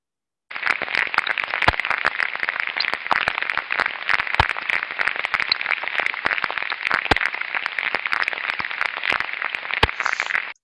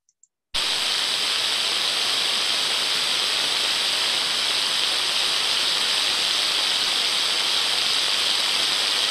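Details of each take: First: Ultrasound on an extremely slow-speed bearing: coarse hiss with repetitive impacts and crackling, unlike a good bearing's smooth white noise. The bearing's condition is deteriorating. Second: Ultrasound on the drive-end bearing of one of two like-for-like motors at 30 kHz, reading 29 dB (the baseline): smooth, uniform hiss with no crackle. The bearing is healthy but sounded slightly dry and could be improved by lubricant.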